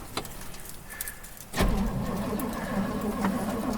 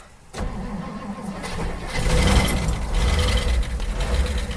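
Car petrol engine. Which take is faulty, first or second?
first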